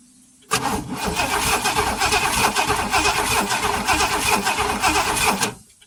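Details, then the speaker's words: Oldsmobile Toronado that sat in the woods for years. Five seconds of uneven cranking at about 240 per minute with no firing at all: it cranks but won't start, and there is no spark at the plugs. "Nope, we are not getting spark. That is very, very unusual."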